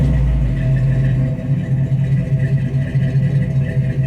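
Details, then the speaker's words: 1955 GMC truck with Pontiac V8, first start after intake manifold change, exhaust outside, in park: started first try, steady even low rumble idling at 800 rpm, no misses or knocks; quiet from the front, normal idle. "Yeah, man. She started right up the first time. Pretty quiet out here in the front."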